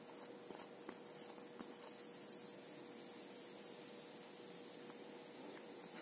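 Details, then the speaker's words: Bicycle inner tube valve with its core damaged by a screwdriver, sealing cap unscrewed: a steady thin hiss starts abruptly as air leaks past the core; only the cap's rubber seal holds it. "вот сейчас уже слышно воздух выходит и с этим ничего не сделаешь"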